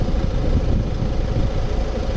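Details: 2015 Ford Mondeo MK5 estate at idle: steady low rumble and hum heard in the cabin from the passenger side rear, caused by a loose fuel pipe and cover vibrating under the car; fix is clipping the pipe back.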